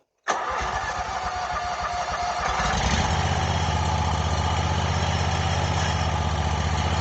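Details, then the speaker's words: Wright Stander ZK mower after stripped and broken engine bolt thread repair and reattached rattled-off exhaust: fires quickly, revs slightly, settles into a firm, even beat without shaking or rattling; normal start and run. "well that sounds a lot better than it used to and the um and the exhaust is completely fixed now"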